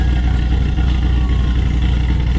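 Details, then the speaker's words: 2007 Ford Mustang GT500 supercharged V8 after rear 8.8 axle bearing replacement: deep, steady, even idle burble with no misses, knocks or ticks; sounds healthy; normal idle. "everything seems good and um there you have it we just listen to it though like she sounds awesome freaking love this thing but"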